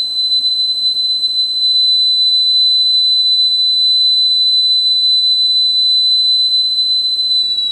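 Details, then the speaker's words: Sony TC-850 reel-to-reel deck after head alignment, speed tuning control at normal position: clean steady 4 kHz test tone holds pitch without wavering, pretty close to correct speed. "I've got the speed tuning control set to the normal position this is 4 kilohertz let's check the speed on here that's pretty darn close"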